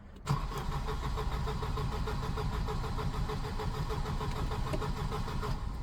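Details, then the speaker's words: Volvo 240 with K-Jet (CIS) fuel injection cranking strongly and evenly for about five seconds but never firing; owner suspects it isn't getting the right amount of fuel, possibly a clogged air-flow plate; crank, no start. "oh my God it has never cranked that well before Jesus Christ as you can see though for whatever reason it won't start"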